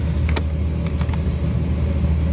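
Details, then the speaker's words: 1995 BMW 540i E34 V8 after engine refresh (valley pan, valve cover gaskets, seals, plugs), almost no fuel in tank: low uneven rumble with sharp ticks right after start, rough idle; owner suspects lack of fuel. "okay so we got a crank and then it started dying out rough rough rough idle okay well that can be expected there's no gas"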